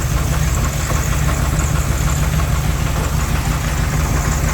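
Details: 1984 Dodge Ramcharger 360 cid LA V8, water pump belt off, good oil pressure: loud rough idle with a dull knock about three times a second that persists when revved. Caused by an incorrect front counterbalance combined with a counterweighted torque converter.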